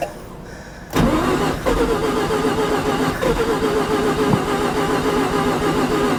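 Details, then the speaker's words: 1988 Mazda RX7, 1.3 L 13B twin-rotor rotary, sat 10+ years, ether in the intake: starter spins the engine at a steady, even whir for about five seconds but it never catches. Cranks, no start; probably spark present, fuel suspected. "Nope. Okay, so we know that it kicks over with ether sprayed into the intake. So, we're probably getting spark."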